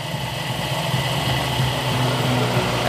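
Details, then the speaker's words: Toyota Kijang 5K carbureted petrol engine after carburetor service, idle and air screw adjusted: steady, even, light idle with no vibration or hunting; ignition timing still being adjusted. "ini lebih stabil dari suaranya nanti akan terdengar kembali biasanya efek dari pengapian akan lebih jelas ini terdengar putarannya enteng mesin tidak bergetar"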